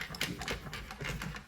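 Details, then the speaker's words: Zadro TWB01 towel warmer, dead, partly disassembled: faint irregular taps and rattles as unit is moved; loose debris inside the tub, likely from the blown EC3 capacitor. "something's still rattling so it might be inside the tub you hear that oh there it is huh I think we found our culprit"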